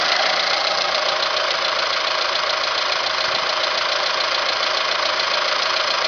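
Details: Alfa Romeo 156 at idle: fast, fairly even light ticking about three or four times a second; owner suspects the variator (cam phaser), not confirmed.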